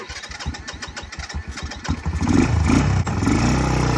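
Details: Early-2000s Kymco 150 ATV, sat over 10 years, after carburetor cleaning: starter chugs a couple of seconds, single cylinder catches and settles into a steady, even idle; normal start and idle.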